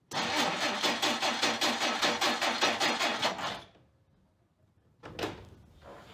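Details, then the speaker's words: 1959 Plymouth Suburban wagon, long-stored barn find, cranking after its points were dressed. It turns over nicely with regular cranking beats for three seconds, catches briefly, then dies. The ignition points apparently need further dressing. "nine more payments and this baby's on apparently the points need further dressing"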